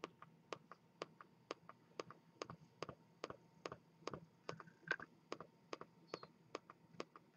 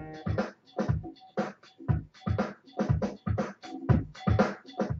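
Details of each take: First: Razer Mako 2.0 speaker system, about three years old, playing from an MP3 player: sharp dry ticks, louder and faster when the control pad dims, from a faulty capacitor. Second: Razer Mako 2.0 speaker set, about three years old, after replacing a capacitor to cure a clicking noise at startup; music plays cleanly with a steady beat and no clicks between notes; fix confirmed.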